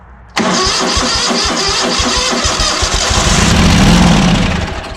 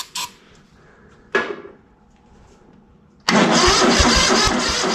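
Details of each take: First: ZT200 mower twin after ignition conversion, plug refitted with fresh starting fluid: catches abruptly and bangs away unevenly on ether for a few seconds but won't sustain; fuel pump inlet hole blocked, so not pumping its own fuel. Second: ZT200 mower twin after ignition conversion and carb parts, cold, on choke, run indoors: cranks briefly, catches, then settles into a steady run, slightly uneven while cold; now running.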